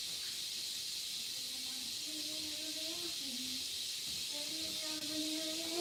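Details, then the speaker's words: Apartment steam heater coming on gives a steady loud hiss with a faint wavering whistle, the normal sound of a steam radiator venting as it heats up. "You hear that hissing? That hissing is so annoying."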